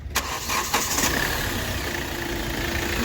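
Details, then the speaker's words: Hyundai i20 petrol after repair of an open injector circuit that had caused knocking, misfire and poor pickup: starter clicks, then a steady, smooth, even idle with no vibration. "Buckle ख पहला बहुत ज vibrate करता स इजन चल र पूरा smooth देख स हो कोई वाइ बरेट नहीं बिल्कुल ओके है"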